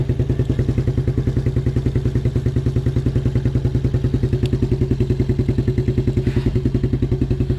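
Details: 1987 Suzuki Quadrunner LT230E ATV single-cylinder, cold weather after throttle and air filter replacement, started with hand over intake as choke since choke cable frozen; quick even thumping idle, every stroke on time, no misses or stumbles; healthy idle.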